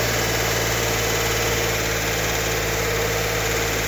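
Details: 1964 Corvair Monza Spyder turbo flat-six, freshly rebuilt engine, first startup before cam break-in: even, steady idle with a smooth low beat and no misses, healthy running.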